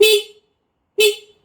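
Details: Honda Shadow VLX 600 horn, key on, after removing the engine guard that had caused the horn fault: two short clean steady honks about a second apart, no rattle or buzz; horn back to normal.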